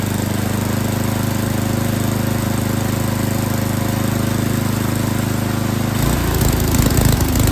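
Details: Yard King snowblower that would not start, small engine at full throttle with choke on, runs lumpy and uneven, then evens out and speeds up as the high and low carburetor mixture screws are set; carburetor was not tuned correctly.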